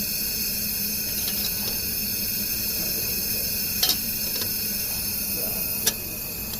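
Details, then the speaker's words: 2000 Dodge Neon 2.0 SOHC leak-down test at about 25 psi, engine stopped, cam turned slowly by hand; steady hiss of air escaping out the exhaust, leaking exhaust valve on this cylinder. "so you can hear it coming out the exhaust right there we'll keep going there we go sounds like this one has an exhaust"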